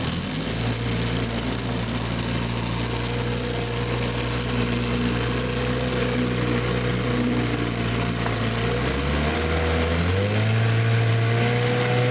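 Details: 1967 Evinrude Sportwin 9.5 outboard, new impeller, carburetor redone, test run on a Lumacraft T14S carrying about 575 pounds: steady buzzy two-stroke drone, pitch climbing smoothly as throttle opens; runs clean with no misses.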